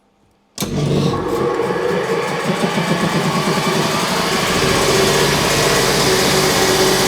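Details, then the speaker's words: Large two-cylinder Backer 111/2 air compressor (custom Backer pump, rated 1560 L/min), bought used, first start before restoration: after a quiet start it comes up to steady even chugging with no knocks or rattles; runs like a beauty, normal running. "that runs like a Beauty"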